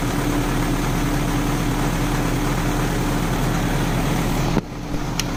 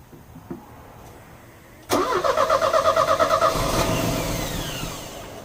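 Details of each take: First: Euro-spec Mercedes 190E 2.0 manual, first cold start of the day in chilly weather after spark plugs cleaned and vacuum lines rerouted: catches right away and settles into an even, steady idle with no misses, knocks or ticks. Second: Euro-spec Mercedes 190E 2.0, 5-speed manual, fuel just added: about a dozen even cranking beats before it stumbles into a rough run; it ran about 30 seconds and stalled, and the fuel lines showed gunky, contaminated fuel.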